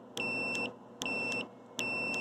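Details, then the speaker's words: Bridgeport Model 6F power feed limit switch tested with a meter on common and normally closed/open contacts: three clean, even half-second continuity beeps; switch is good, it was loose and probably just needed adjustment. "that works let's see if normally close goes off and it does so this switch is good this is the one that was loose so it probably just needed to be adjusted"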